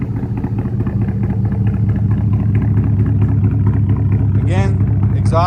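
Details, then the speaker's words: 2004 Mustang Mach 1 V8, stock with Borla cat-back, after sitting, cold start: even, fast low burble with steady beat, no misses or knocks; normal raised cold idle that drops as it warms. "but typically with the the cold start, it idles high. As it starts getting up to temperature, it falls down on RPM and the note comes down a little bit"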